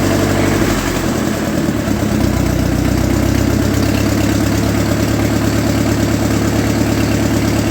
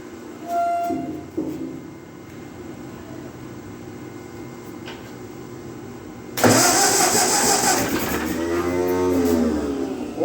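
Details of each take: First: 1948 Ford 8N tractor in grim condition, started after the oil pressure gauge lines were blown clear and checked for oil pressure: the old four-cylinder settles into a steady low chug with no knocks or rattles. Normal running. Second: 1948 Ford 8N tractor in grim condition, cranked again after a compression check: starter grinds over, then a few ragged pops catch and die; it wants to fire but won't run. Cause unconfirmed.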